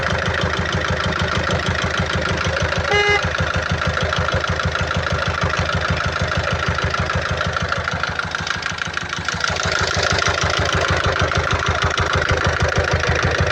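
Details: 2012 Peugeot Partner B9 1.6 HDi 75 HP diesel, almost 216,000 miles, with a heavy oil leak and smoke from the oil cap. Hard, regular knock about two per second over the idle clatter; bystander wonders if it is exhaust. Knock resolved after topping up oil; cause unknown.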